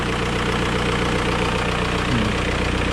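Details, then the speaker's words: 2003 VW Beetle 1.9 TDI diesel after repairs including new turbo wastegate: steady idle with a light, fairly quick tick on top, source unknown, possibly a small exhaust leak; slight turbo whistle also heard. "All right. A little bit ticky. I don't know what that is."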